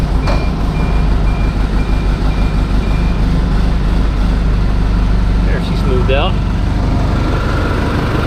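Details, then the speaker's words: Detroit Series 50 diesel after in-frame rebuild (cylinder head, new turbo, charge air cooler hoses): steady, deep, smooth idle with even low rumble and a brief squeaky whistle midway; normal healthy diesel idle. "I think we're ready to start it up and see if it sounds a little different with the exhausts and everything and the turbo working the way it's supposed to."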